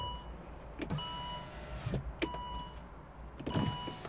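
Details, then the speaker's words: 2014 Volvo XC60 electric window (fault B118E00) after repair; short smooth electric whir with soft start and stop clicks as the window goes down, motor running evenly without strain, working normally. "So, down. We just need to learn the window so it does it automatically. There we go. So, goes down now."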